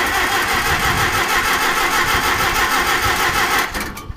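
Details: Old Farmall 450 tractor: an even cranking beat of about three turns a second for nearly four seconds, then it stops without ever catching. Cranks but won't start.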